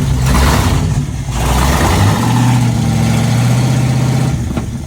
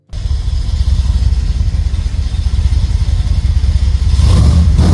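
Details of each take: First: SN95 Mustang after V6-to-new-engine swap and ignition system fix: deep blatty roar booming with throttle blips; straight-piped before-axle dump exhaust with no mufflers. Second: V6 SN95 Mustang after motor swap, with homemade bent stainless exhaust and mufflers: deep even rumble then rev blips, no rattle, ticking or leak puffs; normal exhaust note.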